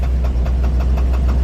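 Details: 1948 Ford F5 flatbed, Mercury 256 flathead V8 with valve issues, idling on old fuel after years sitting: steady light tick six to seven per second over low rumble, unchanged with clutch pushed in; knock source unknown, likely not clutch.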